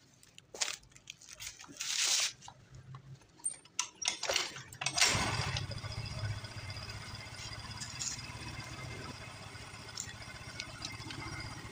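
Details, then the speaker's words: Yamaha Mio M3 scooter after camshaft and valve clearance repair for top-end ticking: after brief clatter, settles into soft even idle with no rough tapping; cause was the camshaft and valve adjustment. "Oke, jadi untuk suaranya sudah halus kembali ya. Jadi permasalahannya ada pada nukin as ya teman-teman, dan setelan klepnya."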